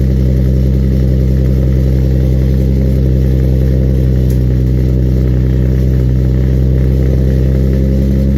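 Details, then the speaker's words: Infiniti G35 Coupe cold start after an exhaust leak repair: deep, even exhaust drone at a fast cold idle with no ticking or puffing at the joints; exhaust sealed, normal. "yeah I'll give you guys that quick cold start right now and I'll catch you guys in the next video peace out"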